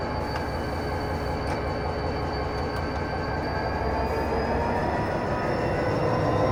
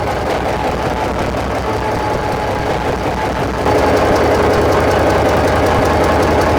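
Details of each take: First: SD45-2 locomotive diesel after fixing stuck fuel injectors, all injectors reconnected, run up to 8th notch in self-load: deep steady roar rising smoothly, no misses or knocks; everything working as it should. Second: EMD SD45-2 diesel locomotive started outside after freeing stuck fuel injectors, with the troublesome injectors still disconnected; deep steady slightly uneven idle thrum, two to three beats a second.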